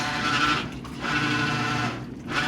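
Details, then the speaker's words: Maytag Bravos top-load washer running a second load (bulky sheets, heavy soil, cold wash) after a new shift actuator was installed: rough droning hum that drops out briefly twice; abnormal noise, owner unsure whether the actuator was installed correctly. "Now it's making this terrible sound. What is this terrible sound? [Music] That does not sound good."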